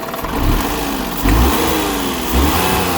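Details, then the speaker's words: Daihatsu Mira Gino L700S with an abnormal engine noise, air conditioning off: blips up twice from idle and settles back, clean even note with no whine or rattle; noise gone, running normally. "言わんくなった。言わんくなったね。あ、今いいよ。結構正常し。"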